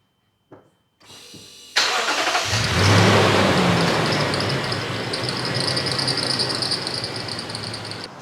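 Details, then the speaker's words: Lexus GX460 V8 at startup: starter cranks, engine catches, and a high, thin squeal with rapid chirps rides over the idle. Serpentine belt squeak from a Bando belt (suspected counterfeit) with about 30,000 miles, car at 142,000 miles. "And for some reason, this belt just squeaks and chirps. Super annoying, right?"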